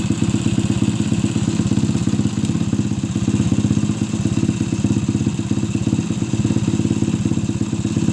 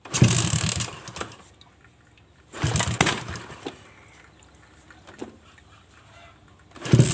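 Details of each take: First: Suzuki Shogun motorcycle converted to trail style for heavy loads, with no air filter, after cleaning a clogged carburettor and adjusting the air screw: small steady single-cylinder thumping near three pulses a second, no stumbling; normal idle. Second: Carbureted Suzuki Shogun motorcycle converted to trail style for heavy loads: cranks and briefly catches, then dies each time and bogs when throttled, as if fuel is not flowing. A clogged main jet or fuel supply is suspected and the carburetor is to be opened.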